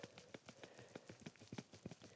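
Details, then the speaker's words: Removed driver's side front CV axle from a 2014–18 Chevrolet Silverado/GMC Sierra with 150,000 miles, flexed by hand: irregular light clunks and clicks from play in the joint; worn CV joint, going bad for about a year. "You can just hear that. Definitely was starting to go bad."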